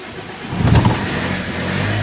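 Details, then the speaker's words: Alfa Romeo 156 1.9 JTD common-rail diesel with crank-no-start, improving as it warms (temperature or bad fuel suspected): starter grinds briefly, engine catches with throttle, rough surge, settles into steady idle; hard start. "can hear the starter grinding away. We have to check that also. Don't want to push it too much because of the starter."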